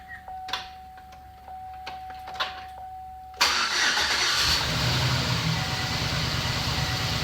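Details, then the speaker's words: GMC Sierra 5.3 V8 with Active Fuel Management after collapsed-lifter replacement: after a short chime it fires right up and idles smooth and steady with no ticking or knocking. "FS like a kitten no more knocking"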